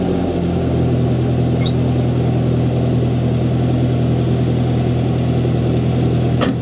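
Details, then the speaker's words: Toyota Tacoma 2.7L 3RZ on a cold start after installing a Thrush glasspack muffler on the 2-inch exhaust: even, steady idle with mellow low rumble, no knocks or ticks; not very loud, healthy. "sounds like a truck. It's really not that loud. I love it, dude. It sounds pretty good, I think."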